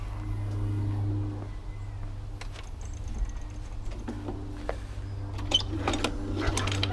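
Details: Small single-cylinder Briggs and Stratton mower engine, previously failing to start and running very rough, now after repair runs outside with a steady, low, even drone, no stumbling or misfires: normal running.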